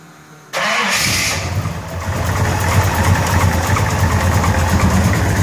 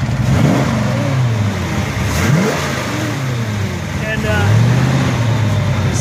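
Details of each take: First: 1933 Buick Series 60 street rod with 454 big-block V8, cold start at about 68-69°F: catches, flares, settles to idle with light ticking rattle, GM wrist pin noise; no obvious smoke. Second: 1933 Buick Series 60 pro-touring street rod, warm, running at about 141 degrees temperature on a test drive. The engine pulls up cleanly under road noise with no knock; the cold-start noise has subsided. Healthy.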